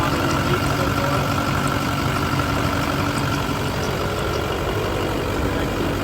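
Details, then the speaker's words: LB7 Duramax diesel with S300 turbo idling just after fitting new SNS 100% over injectors, replacing failed, rattling ones: even, low idle with a smooth steady rumble and no rattle or knock; idling normally. "yeah it sounds so much better now while this is running for a minute I'm going to change out these wheels with the 22s again and then we'll go for a little Drive"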